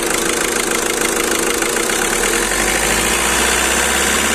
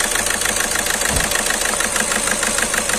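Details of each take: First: Skoda Rapid idling after repair of cylinder 2 injector circuit misfire, injector serviced and injector sensor replaced: even steady low drone with no stumble or missed beats, problem solved. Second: Skoda Rapid at idle, malfunction light on, engine shaking badly: lumpy idle, uneven beat about three pulses a second with periodic stumbles; scan shows cylinder 2 injector circuit fault causing misfire.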